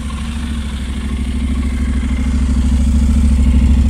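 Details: 2019 Honda NC750X twin, cold start, running extremely rough since the first 300 km: lumpy, uneven running with a stumbling beat as revs creep up. Misfire traced to zero valve clearance on 5 of 8 valves.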